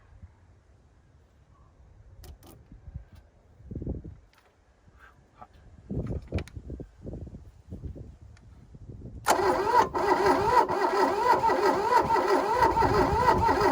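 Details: 1982 VW Rabbit diesel pickup (Caddy), sat 20 years in a junkyard, with glow plugs: starter churns about three turns a second, never fires, diesel smell from exhaust, no fuel from return line; owner suspects fuel feed problem.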